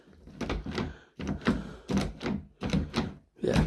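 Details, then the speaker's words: Main house door lock after repair: cassettes greased and spun all the way round, the latch now snaps back fully. Several sharp clacks in quick bursts as the handle is worked, and the lock operates freely. "So, I've actually managed to uh fix it 100%. So the latch actually does come back fully."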